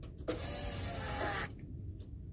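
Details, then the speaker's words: 1991 Ford Econoline E350 with dual tanks, key on after the stuck fuel tank selector valve was replaced: the high pressure fuel pump gives a steady high electric whir for about a second, then cuts off cleanly; normal priming. "that's the high pressure pump there so"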